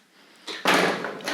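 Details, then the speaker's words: Tri-ang Hornby model railway point with a single point motor being thrown: a harsh, crunchy clunk that drags rather than snaps over and needs a lot of pressure to throw. Continuity is fine; the owner fitted a relay. Stiff point mechanism. "stiff. Let's have another go. Yeah, so it was always a challenge for a singular point motor. It's not a comfortable thing. It takes quite a lot of pressure to get it to finally throw."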